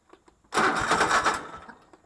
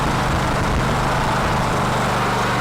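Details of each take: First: Cub Cadet LT1046 mower, restarted after plugs cleaned, owner reports it runs rough: catches with a brief sputtering burst then fades out within about a second; engine stalls after starting. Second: Cub Cadet LT1046 riding mower, formerly running rough, after carburetor cleaning (old, bad gas suspected): steady, even idle with no stumbles or surging; runs smoothly now.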